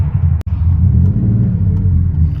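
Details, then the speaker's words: 1984–88 Porsche 911 3.2 Carrera, 92,000 miles, original fuel pump, driving home with foot on the brake and no throttle: low, lumpy idle wavering and sagging, about to stall — rough running and stalling; a friend suspects a vacuum leak, cause unconfirmed. "Right now, my foot is not on the gas, just so you know. It's on the brake, not on the gas. Here we are, rolling home. You can hear the engine is not playing with me today."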